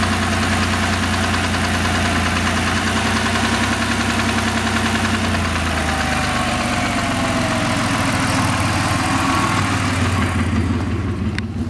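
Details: 2000 Ford SVT Contour, 3L Ford Escape block with Cougar 2.5 heads and SVT cams: petrol V6 idles with a steady rhythmic knock of about three to four beats a second.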